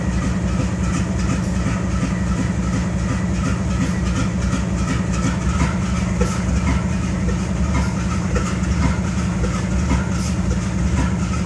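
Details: BNSF 5144 GE Dash-9-44CW (C44-9W) diesel locomotive idling on a grain train keeping air up: heavy uneven idle with loping stumble about every two seconds and excessive smoke; engine misfiring at idle.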